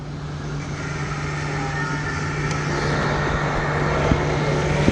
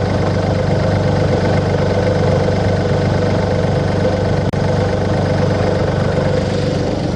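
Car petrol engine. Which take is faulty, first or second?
first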